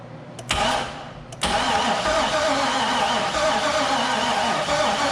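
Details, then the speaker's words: Silverado pickup that had been sitting, old gas in tank, spare spark plug tester on alternator: starter turns engine over steadily at normal pace but it never catches; no spark seen, coil pack power next. Cranking no start, no spark. "I didn't see any spark, guys. So, we still got no spark in this thing."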